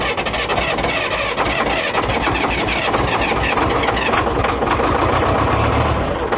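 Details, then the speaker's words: Cold diesel started on second try with more glow plug and a jump pack after a weak-battery no-start: rough, smoky clatter settles into a steady, even idle; normal cold start. "oh yeah smoky"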